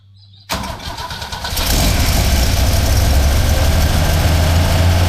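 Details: 1977 Holden HX with a 202 engine, which idled only high on choke when bought: starts into a lumpy, uneven idle with a wavering low rumble, won't rev and dies out. The carburettor is suspected, cause not yet confirmed.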